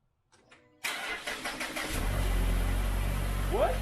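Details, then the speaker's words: Mazda 6 SkyActiv first start after VT-Racing twin-screw supercharger kit install and tune flash: brief cranking, catches cleanly, settles into steady idle almost stock-sounding with a little extra rumble, no misfire. "It's alive! At idle, it almost sounds stock. Just a little extra rumbly sound."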